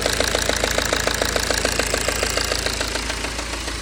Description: BMW e92 320d N47 ticking sound from engine. Anyone know what it is and how to fix it?